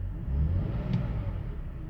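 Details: 2005 BMW 530i after replacing the idle control valve to cure rough idle: petrol engine idling with a low, steady rumble and no hunting or stumbling; normal idle.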